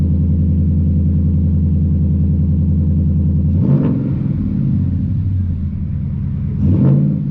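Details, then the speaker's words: 2011 Ford Mustang GT (S197) V8 at initial startup after all 8 spark plugs were replaced: steady, even idle burble, then two quick blips that settle cleanly with no miss. Seems a lot smoother; the coils are still to be done. "Seems a lot smoother. Just got to do coils next."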